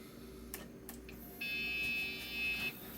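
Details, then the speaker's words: Retro PC at power-on after an IDE hard drive jumper was set to master: a few clicks, then one steady high beep over a second and a blank screen. POST beep; the owner suspects the drive jumper setting. "Beep? Oh no! I don't like that sound of that! Why are you beeping?"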